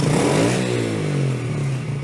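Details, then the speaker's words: Yamaha TT-R110 single-cylinder during carburetor idle-mixture adjustment with the air box off: revs up, then the note sags and stumbles instead of climbing; bogs from gulping air and running lean, but is fine with slower throttle. "it dog like that because our air box is off it's just gulping air"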